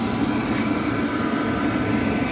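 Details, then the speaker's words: Cheap 12 V 5 kW diesel air heater on a bench test, fuel pump mounted at about 45 degrees, after priming the fuel line: steady even burner roar with faint regular pump tick; firing and burning cleanly. "I think she's firing up there I can hear it"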